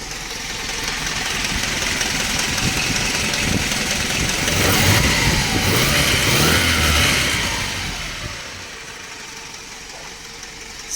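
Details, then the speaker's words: Dodge Raider 2.6L 4G54 with Weber 32/36 carburetor and new electric fuel pump, warm after a drive: quick even idle beat under a slight hiss, swelling briefly then settling; healthy steady idle. "She's all warmed up. Fires right up just by bumping the key. Sounds good."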